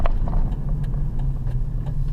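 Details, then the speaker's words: 2006 Dodge Dakota test drive at speed after replacing a seized front wheel bearing that had been groaning loudly around 60 km/h, engine still slightly cold: only low even road rumble, no groan or shimmy; repair fixed it. "Right about 60 Ks it was starting to groan. It was really, really loud. No more groaning noise. That is awesome."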